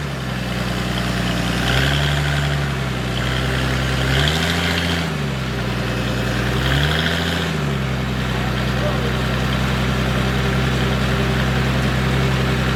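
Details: Military surplus forklift with carburetor, running after the fuel pump was bypassed and the fuel line run direct to the carburetor; steady low drone with brief rev rises and falls, smooth, no misses or knocks; it runs and drives normally.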